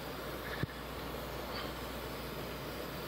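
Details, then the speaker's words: Restored Coleman PQ chandelier lantern with four burners, after clearing scuzz from a tip and still heating up: steady, even hiss with one brief tap near the start; two burners now running normally, no leaks. "So we got 2 running there, which is great."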